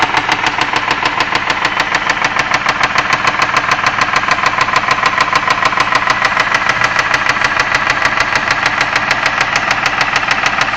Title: engine knock on my 2001 ford escape v6 3.0L